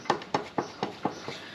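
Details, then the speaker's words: KTM 1290 motorcycle on stand, front wheel rocked by hand: sharp, evenly spaced knocks about four a second; worn front wheel bearings, which also caused a front rumble felt just before stopping; bearings to be replaced. "if you give the wheel a shake you hear that knocking so that's the wheel knock in the wheel burns are"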